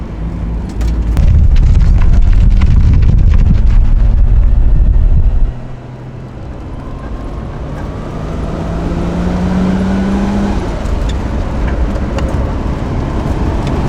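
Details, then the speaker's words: Loud '33 heard from inside while driving: heavy drive noise with a steady low whine rising in pitch with road speed, plus thermofan noise and a very quiet exhaust; differential whine. "You'll hear a lot of diff whining. You'll hear a lot of thermofan, and you won't hear any exhaust until it comes on to gate."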